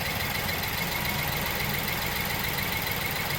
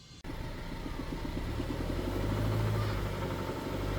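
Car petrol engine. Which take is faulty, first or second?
second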